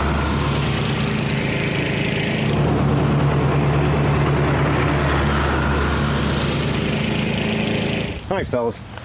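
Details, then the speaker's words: 1999 Snapper riding mower, 28-inch cut, 10 hp Briggs, first run of the season after sitting in a shed: steady, even single-cylinder beat with no misses or knocks, then it shuts down. Running good; the deck cuts too low even at full height. "Running good, but it's all the deck height is all the way up, but it's still too it's been a problem for a while."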